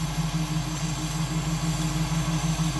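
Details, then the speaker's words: 302 V8 run after sitting two weeks, smelling rich with some smoke: lumpy idle with uneven pulsing beat about three times a second and slight shaking; owner unsure if misfire, rich running, timing, or oversized jets. "I can't tell if it's missing or if it's running rich or if timing's off. It is idling right there."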